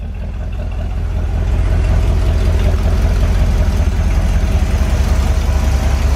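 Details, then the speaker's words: Corvette V8 at idle after plug wires were fitted, with a dead battery on the charger: lumpy rumble with a puffing chuff; exhaust leak felt at the passenger-side collector, with the exhaust donut suspected. "Definitely got an exhaust leak. I did pick up an exhaust donut for this passenger side. I hope that's what's leaking."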